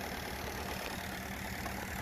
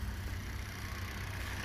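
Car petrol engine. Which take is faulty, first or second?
first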